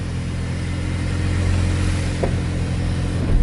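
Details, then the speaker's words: Infiniti Q50 after AMS fuel pump install, first start: slightly rough start, then steady healthy rumble with smooth revs, no knocks, misses or whine; nothing abnormal heard. "don't hear or see anything abnormal"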